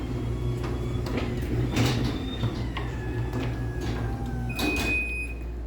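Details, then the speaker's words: Force test on a LiftMaster 84505R belt-drive opener on a small door: low hum while the door rumbles and clacks with short squeaks, then eases off as the force limit trips; the opener slows on force trip, normal reversal. "they did at least change it to make the opener slow down when you trip the force which I guess is kind of nice"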